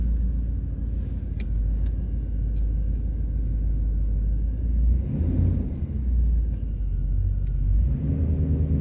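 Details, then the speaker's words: 1993 GMC Yukon SLE 350 throttle-body-injection V8 after a cold start following five to six months of sitting: a deep, even rumble settles into a steady idle with no stumbling or knocking; runs normally. "this is my 1993 gmc yukon sle 350 throttle body injection oh it started awesome"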